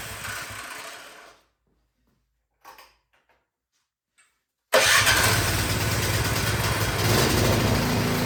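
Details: Craftsman 22" snowblower that would not start, after repair and reassembly: quiet, a few clicks, then catches at once and settles into steady even run about four beats a second; healthy.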